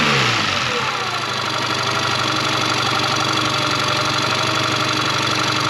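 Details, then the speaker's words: 2001 Yamaha 15hp four-stroke short-shaft outboard, sat in a barn 5 years, first start after service: settles quickly into a fast, fairly steady patter, slightly high at idle, no misses or knocks; runs fine, idle to be lowered a hair. "So it doesn't sound too bad, but I am going to just slow it down just a hair."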